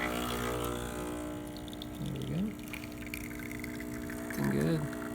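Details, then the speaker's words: Breville Barista espresso machine after replacing a faulty, leaking solenoid valve that caused buzzing and breaker tripping: steady, even pump hum with water flowing during a single-dose test shot, no buzz; brewing normally. "we've replaced it and now it's working just fine so we'll test it"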